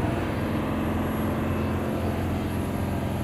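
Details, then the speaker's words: Tata BS6 phase 2 Cummins diesel after fuel line repair, full throttle held, about 2500–2600 RPM, rail pressure 1300 and correct, no fault codes; loud even roar, no surging or dropouts; normal full-throttle revving. "हम इस समय car की racing कर रहे हैं। तो यहाँ आप देख सकते हैं कि दबाव 1300 तक जा रहा है। हमारा दबाव अभी सही है और यहाँ भी कार दौड़ रही है।"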